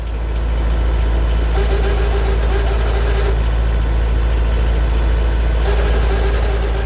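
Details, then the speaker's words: Boat diesel engine recorded close up in the engine compartment, with a deep thrum and an intermittent mid-pitched whirring whine. Traced to worn fan belt pulley bearings, replaced alongside a new alternator and fan belt. "um i'm pretty sure now that it's the fan belt pulley bearings have been making that noise so i took that off put new bearings in"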